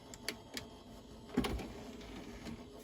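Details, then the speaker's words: Dell Precision 340 (Pentium 4, Windows XP) booting: a few soft, scattered hard-drive seek ticks with no grinding, scraping or repeated clicking; slow but normal disk drive activity. "Uh it's slow, but I think it's normal."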